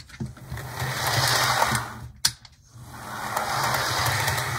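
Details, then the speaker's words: HO model locomotive with pantograph and an 8-pin plug but no DCC decoder, after stuttering (owner suspected the pantograph screw jamming the motor): steady small-motor whir that drops briefly, then builds back smoothly; now running fine. "now it's running really well i just had some just had some stitching not sure what was going on but it's working fine now"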